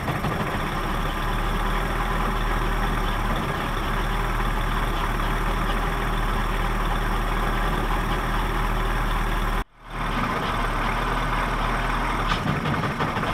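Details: 1979 Johnson 55 two-cylinder two-stroke outboard with a low, uneven, unsettled idle and one brief drop-out near the end: rough idle, cause unclear.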